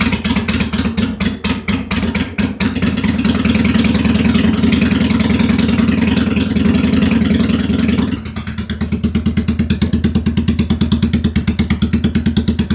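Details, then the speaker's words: 2001 Honda Shadow VT750 V-twin, first start after an oil change. Lumpy, stumbling beat; it keeps failing to restart and the rear cylinder smokes, suspected to be the rear carb dumping fuel into the cylinder. "See, this is weird to me. It keeps not wanting to restart and then that top that rear cylinder is smoking."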